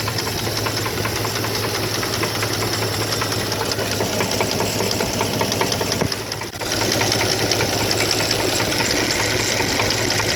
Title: 2002 dodge ram 1500 4.7 l v8 engine knocking